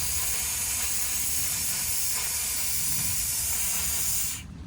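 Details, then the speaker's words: Compressed air blowing through the 16-foot shower hose, valve worked back and forth, while winterizing a 2021–2024 Winnebago Revel with the HydroLink panel; steady loud hiss for about four seconds, then it cuts off, lines blown clear. "And being that this is a 16-foot hose, it can take a little while once you turn the knob. I like to do it back and forth a few times."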